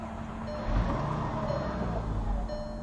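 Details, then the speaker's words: 2005 VW Jetta 2.5 five-cylinder, no codes: steady starter churning, engine turning over evenly but never firing; the fuel pump under the rear seat makes no noise and the fuel system has no pressure. "we try to crank again it will try to crank for a bead start for a bit and then it will die see it doesn't do anything else"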